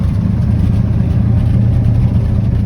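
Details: 1967 Ford F-250 highboy brush truck, 352 V8, four-speed, revived after sitting abandoned, on an aftermarket fuel pump: smooth, even low idle with a steady beat and no knocks or misses, with slight smoke after blowing debris from the mufflers.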